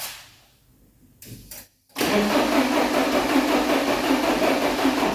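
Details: 1986 Porsche 944 base manual, parked for at least 10 years: after a pause the starter cranks at an even churning pace for several seconds but it never catches. Spark was later confirmed; fuel injectors are next to check. Crank, no start.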